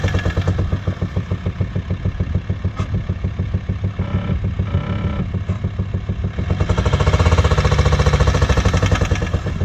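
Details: VW T5 long-wheelbase 4WD van, 2.5 BNZ diesel, before repair: loud rapid rhythmic clatter over rough idle, harsher as revs rise; engine has no power and can't climb hills; owner suspects worn camshaft and hydraulic tappets.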